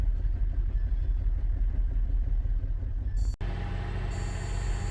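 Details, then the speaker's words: 2017 Buick Enclave with water in the fuel tank, after flushing the high-pressure line: low, uneven idle that stumbles often, a misfire with flashing check engine light while water purges through the injectors. "well there it's running again you're gonna let it run and just idle hopefully Purge the injection lines starting to miss"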